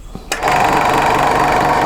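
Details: Second-hand Clarke 16" scroll saw after cleaning, new blade and table set to 0: switches on into even, fast buzzing chatter, steady pitch, no knocks or scraping; runs smoothly.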